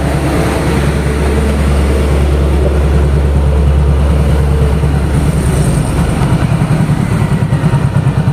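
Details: Yamaha Mio GT scooter after repair and ISC idle reset, running with a low, even engine beat at steady speed, no knocks or rattles; normal running.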